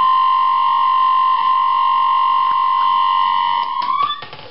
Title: Opvaskemaskine med larm